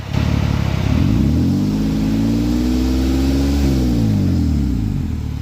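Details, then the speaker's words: 2003 Mitsubishi Eclipse GTS after fixing skipped timing that caused cam and crank sensor codes; lifter ticking from sitting cleared after a drive. Smooth revs climb and fall evenly with no ticking or misfire; normal running. "But after I took it down the road and around and back, it's pretty much back to normal idling and whatnot, and runs great like it did when I first picked it up."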